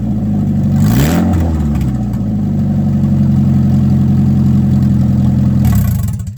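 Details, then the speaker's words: Ford Escort with a new header installed and no exhaust fitted after it: loud, raw, blatting exhaust that jumps with a blip, then settles to a rough idle; open headers. "Yep, sounds like an open pair of headers."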